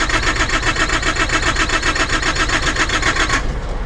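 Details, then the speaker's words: Truck refrigeration unit that won't start after battery charged, alarms cleared and fuel primed with the primer function: steady starter churn about four compression beats a second, never firing; cranks but no start, left for mechanic. "So let's see what happens when she tries to crank up, tries to start. Come on, baby, you can do it. I have primed."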